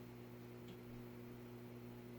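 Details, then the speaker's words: Vintage Midwest Fan-Lite retractable-blade ceiling fan at low speed on capacitor control instead of solid-state: soft steady low hum with no pulsing or rattle, bedroom quiet; normal quiet running. "Ah, there is a difference. Market difference. Market difference. So it isn't, but it is bedroom quiet."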